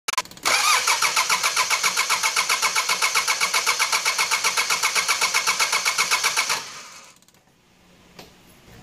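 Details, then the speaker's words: 4D56 diesel cranking without starting because the power terminal to the fuel shutoff solenoid was deliberately disconnected: steady starter churn about four strokes a second for six seconds, never fires; no fuel delivered. "now if you have noticed in the beginning with this video i was able to make this engine to crank but not start the only way i did that is that i disconnected this terminal that sends power to this"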